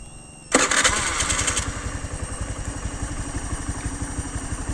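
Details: Honda fully fuel-injected engine cranks quickly, catches at once and settles to a fairly even idle chug of about four beats a second without stalling, despite a pressure reading of about 31. It runs normally without replacing or bypassing parts.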